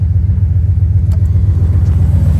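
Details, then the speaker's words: Dodge truck idling right after oil leak repair with fresh gasket maker: deep, even rumble with steady pulse, no knocks or ticks; oil pressure good, no leaks; normal idle. "The motherfucker is running. Oil pressure is good. Yeah, no more leaks. All right, now that I'm officially dirty as f, truck's working again. Fires up, sounds good, and have oil pressure again."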